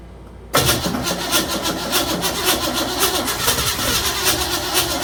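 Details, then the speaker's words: 1956 Chevy Bel Air with 307 V8, new Holley 4150 double pumper, first start, previous lifters: steady rhythmic cranking about four turns a second, never catches, sounds diesel-like; timing way off, owner also wonders if valves lashed too tight. "Yeah, the timing is way off. I don't know what the hell."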